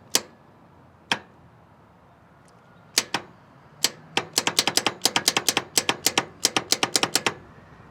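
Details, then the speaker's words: 1967 Ford F250 Camper Special FE big block, sitting about 39 years, starter solenoid jumped with a trigger: sharp dry clicks, sparse then rapid, with no cranking. "Nothing. Well, I hear the solenoid clicking, so I hope that it's okay."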